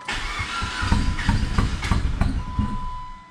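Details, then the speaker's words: PT Cruiser GT Turbo 5-speed, long-sitting, after broken timing belt repair, fuel primed three times, no power steering belt, borrowed battery: starter churns with uneven chuffs, nearly catching but not firing cleanly; wants to run, idles very low. Owner suspects an unplugged sensor. "sounds like he wants to run it sounds like it wants to run it's idling real low we have life we have life"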